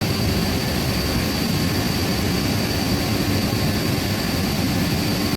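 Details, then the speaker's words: Cooling water pumps in front of a cooling tower basin running smoothly with no abnormal sound: a steady, even centrifugal roar with a faint constant high tone, in contrast to a neighbouring pump cavitating at its suction. "you can see that the pumps are running smoothly and there is no abnormal sound coming out from the pals"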